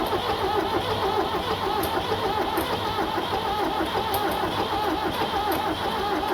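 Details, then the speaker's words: Tractor 7610 diesel, fuel on, jump pack plus charger on a fully charged battery: starter churns steadily near 100 beats a minute but never fires; owner unsure if no compression, fuel seen at the lift pump, suspects fuel system. "okay I don't know what's going on I don't know if we have no compression or I mean it looks like it's getting shed to it"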